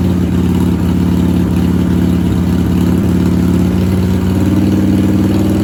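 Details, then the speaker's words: 1997 Harley-Davidson Heritage Softail Classic, 80-inch Evo V-twin, just fitted with new S&S Super E carburetor, new battery and ignition: steady, fast idle with an even low beat that never drops. Idle screw about half a turn too high; needs adjusting. "As you can see, I got a very high idle, so I have to adjust it."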